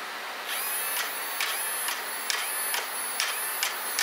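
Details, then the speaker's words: Arrma Senton RC truck's stock Spektrum steering servo failing: short, harsh high-pitched grinding buzz bursts about twice a second as it strains, barely turning the wheels; replaced with an Arrma 25-tooth waterproof metal-gear servo. "So essentially what's happening is our servo, like when I turn it, you can hear this thing grinding. Shouldn't be what it's doing."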